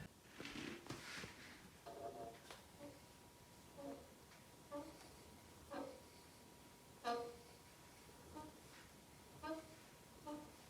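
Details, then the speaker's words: Peloton Tread treadmill under 18 months old, under 100 miles, tread belt removed: turning the motor by hand gives short dry squeaky chirps about once a second with the drive belt installed and tensioned; noise stops when tension is reduced or the belt removed; motor bearing squeal. "this is what it looks like with the tread belt removed and I'm turning turning the motor by hand now it's making this noise while the drive belt is installed in tension"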